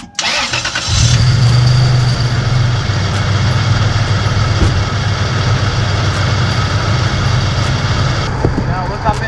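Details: 2001 Toyota Tacoma V6 cranked and idling with skid plate removed, faint irregular light rattle from the drive belt area; idler pulley seen wobbling, worn idler pulley bearing.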